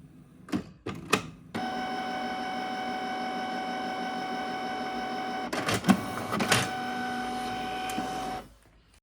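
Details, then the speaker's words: Canon Pixma printer restarting after old ink removed and replaced (error P02 fix): short clicks, then a steady whirring motor run for about seven seconds, more clatter and a stop; slow but normal initialization. "It will take a while to start, and you will hear some noise, but in the end, it will start."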